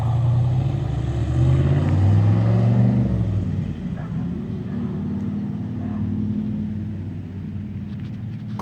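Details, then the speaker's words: 1967 Corvette coupe with freshly rebuilt 502 big-block (about 500-507 hp on dyno, tame idle), first drive out of the garage: deep, even V8 rumble swelling and easing as it pulls away, no knock or tick; healthy. "500 horse good streetable horsepower - it has on the dyno it had a very tame idle and it's I'm excited I'm anxious to get it back in the car and and see what it'll do"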